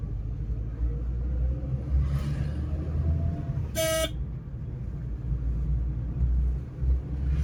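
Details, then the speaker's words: Maruti Eeco petrol engine idling: an uneven, stumbling low thump with heavy vibration, a misfire; it also backfires and cuts out, and spark plug or coil are suspected, with spark leaking at a plug. "ચાલુ તો મિત્રોગા ગાડી અત્યારે ફટાકડા તો નથી ફોડતી પણ engine missing બહુ જ કરે છે વાઈબ્રેશન બહુ કરે છે"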